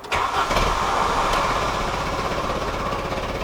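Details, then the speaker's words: VW Golf after new single-port injection and distributor: cranks, catches, then settles into a lumpy idle around 200 rpm that keeps stumbling; hard start and rough running, cause not found. "well no that doesn't that doesn't sound great at all it's running at like 200 rpm right now let's try her again"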